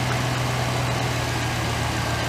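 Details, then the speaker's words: 2008 GMC Sierra 1500 5.3 V8 after replacing a failed lifter with stock lifters: smooth, even low idle with a steady deep hum, no ticking, tapping or exhaust leaks; engine sounds healthy. "ooh sounds good all right all right we're good sounding good I don't want myself out of the truck I don't hear any exhaust leaks"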